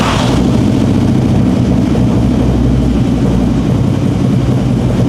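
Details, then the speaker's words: 2005 fuel-injected Harley-Davidson V-twin at idle: deep, loping uneven but steady repeating beat with no misfire stumble; normal idle. "Oh, dia pincangnya lebih beraturan ya? Iya. Lebih ke suaranya itu enggak enggak kayak mesin pincang. Oh, normal aja. Ngeblar tapi normal."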